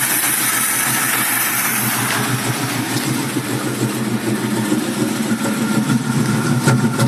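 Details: 1965 Ford Mustang with 2150 carburetor; engine idles with an uneven, lumpy beat and irregular pulses instead of a steady rhythm, rough idle with cause not identified.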